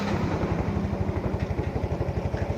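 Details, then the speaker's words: Yamaha Mio Z scooter engine, reassembled after an overhaul because it kept using up oil soon after a previous rebuild: an even, quick putter of about nine beats a second with no knocks or misses, a normal, healthy idle. "Inilah suaranya setelah kami melakukan servis dan perbaikan."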